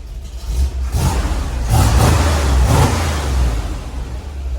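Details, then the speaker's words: Chevelle V8 with rough cam idling through temporary mufflers fitted with V-bands for registration inspection: deep, muffled, uneven loping burble with brief rev, much quieter but never idles perfectly; normal lumpy cam idle. "Yeah, that's a lot more quiet, but I mean, it's still got a rough cam. It's never gonna idle perfectly."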